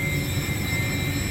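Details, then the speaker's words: York YK water-cooled centrifugal chiller running after start command overrode the crashed building management system: steady even hum with constant high-pitched tones, no knocks, surges or grinding; normal operation, liquid level slightly high but fine. "So we've given it a start command. It's going to run. It's going to do what it's supposed to do."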